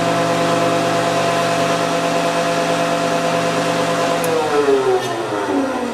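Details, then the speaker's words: Woodworking shaper after rebuilding the spindle to fix a bad bearing that vibrated and was noisy: smooth even running, no cutter fitted, steady hum with light belt whine, then pitch sinks on coast-down; bearings quiet. "yeah now you just hear the belt whining and stuff it's been reversed i believe"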